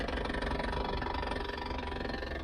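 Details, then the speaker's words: 1978 Chevy El Camino SS, first start after about 20 years of sitting: lumpy, uneven V8 idle with a dull banging underneath, suspected to be a loose muffler or tailpipe. "we'll see if that comes down once the oil builds up somebody's banging down here"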